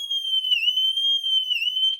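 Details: Triumph Rocket 3 motorcycle with intermittent electrical faults: shrill warbling add-on alarm tone in slow sweeps, about one dip per second, no engine running, sounding when ignition turned on despite alarm being switched off; indicator relay later found without power.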